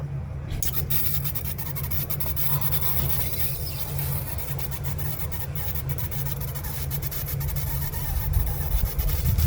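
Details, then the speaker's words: 2005 Mazda 3 2.0L 4-cylinder fuel injector, removed for manual cleaning over random misfire, wired to positive and negative on bench cleaner and pulsed; sharp uneven clicks over rough rubbing background show injector opening; normal injector clicking. "okay when you put it back so you can hear the noise where the injectors working okay I put like that"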